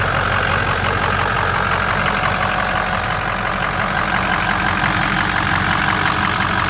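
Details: 2007 Ford F250 4WD, 6.0 diesel, 147,000 miles, idling: steady, even diesel clatter with smooth unchanging rhythm, no misses or stumbles; no blow-by, no EGR cooler or oil cooler pressure in the cooling system; healthy normal idle.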